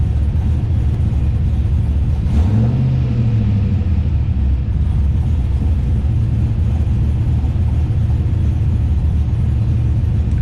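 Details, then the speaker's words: LS-swapped Nissan 240SX on Holley Terminator X, hub dyno: throttle body stop screw backed out and cable adjusted, low lumpy idle wavers and nearly dies, barely starts; throttle closed too far. "all right so now it barely wants to start if at all"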